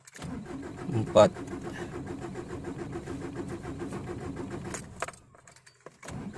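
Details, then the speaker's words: Ford Ranger diesel, sat unused for months, cold morning start: long steady rhythmic cranking, about five attempts before it catches and fires; hard starting when cold, cause not yet clear. "janganlah oke oke lima kali bro yang lama baru kereta hidup kaki lepas sudah sudah hidup"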